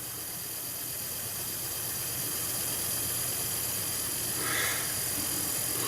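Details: 61-year-old Stellaphone ST450 reel-to-reel tape recorder during restoration, after cleaning oily, clogged parts: steady, even drive motor hum under heavy hiss with no speed wobble or rubbing; motor running normally.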